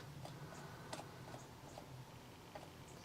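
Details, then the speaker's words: IBM ThinkPad T43 cooling fan at power-on, with fan error: faint light ticks two or three times a second, no spin-up whirr; fan stuck, declared dead. "you can see it just trying to spin but it's not going to I'm afraid the fan is dead"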